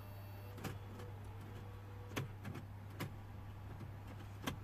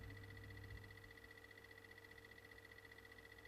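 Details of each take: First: 2006 BMW E60 535d twin-turbo 3.0 diesel with dead CCC I-Drive unit, after plugging in replacement CCC: faint mechanical clicks and whirs over a low electrical hum as the CD changer cycles discs normally. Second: BMW 535d E60 with a newly installed replacement CCC iDrive head unit. Faint, quick, regular ticking at about three or four per second from the unit; the owner suspects its internal drive and plans to swap in the old drive.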